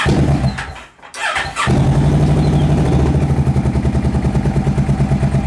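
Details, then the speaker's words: Ninja 650 engine in a go-kart build, started with newly finished muffler, very loud: cranks, catches and settles into a loud but even idle with steady exhaust pulse; running normally. "I want to hear what this sounds like with with the new muffler protection because this thing is loud"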